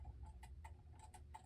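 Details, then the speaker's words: c.1960s gothic mantel clock with Urgos movement, pendulum hung on bench: uneven limping tick-tock instead of steady beat, stopping soon. Out of beat; tilting the clock corrected it. "it's sort of going tick- tock, tick- tock, tick- tock instead of a steady tick tock, tick- tock."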